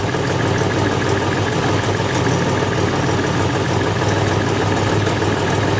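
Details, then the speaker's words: Buick Grand National V6 idling around 750 rpm, set by ear while adjusting the throttle position sensor: low steady idle with a fast, faint ticking puff over the exhaust note from an exhaust leak. "you can clearly hear the exhaust leak I think we're probably right on the money at 750 RPM"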